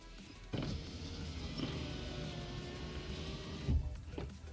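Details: Mazda power window after window-regulator repair with alignment marks matched: the motor runs with an even, steady whir for about three seconds, no clicking or cracking, working normally.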